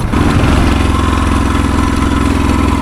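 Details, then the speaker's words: 1972 Honda XL250, 50 years old, possibly jetted rich and with a suspected intermittent electrical fault, bump-started rolling downhill; steady low thumping about three beats a second but never catches, sounds like no spark, unconfirmed. "Well, that sounds like a bike with no spark to me."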